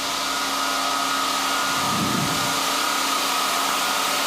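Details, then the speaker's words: SAQ Grimeton 1924 Alexanderson alternator VLF transmitter (17.2 kHz), fan number one started with delta-wye control and air inlet opened: steady even airy hiss over constant machine hum as cooling air blows into the high-power relays, no surging or rattle; normal. "And now we can hear the hissing noise from the air blowing into the relays, the high power relays."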